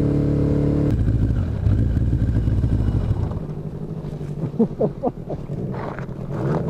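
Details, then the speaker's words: Motorcycle on its first road ride, with a near-dead battery: engine runs unevenly for a few seconds, then cuts out and only coughs and sputters afterward; it runs really rough and keeps dying. "know why keeps dying it's running really rough"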